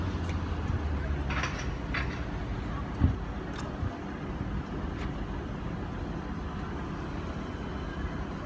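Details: Opel Corsa D 1.7 CDTI diesel, on start-up and at idle: a deep steady rumble with an irregular light knocking like loose ball bearings over it. The cause is undiagnosed.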